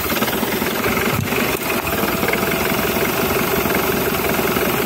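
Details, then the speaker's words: Ford/Jaguar diesel running rough at idle, air filter box removed and intake held closed yet engine keeps clattering instead of stalling; large vacuum leak (false air) suspected, not confirmed. "läuft immer noch weiter du hast ein riesen unterdruckproblem das sieht falsch aus aber sowas von"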